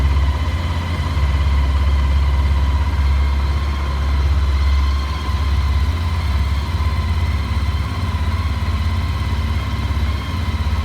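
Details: Honda ST1300 at steady idle: uneven low knocking pulse of roughly three per second under the exhaust; source unknown.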